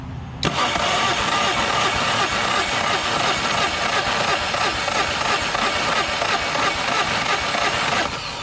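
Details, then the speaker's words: 2010 Yamaha 25hp four-stroke outboard, formerly locked up, cranking on a compression test: top and bottom cylinders both 195; steady, even cranking rhythm showing matched compression. "so that one is at 195 so now I have the tester on the bottom cylinder let's see where that one's at look at that literally 195 it has dead Ethan compression"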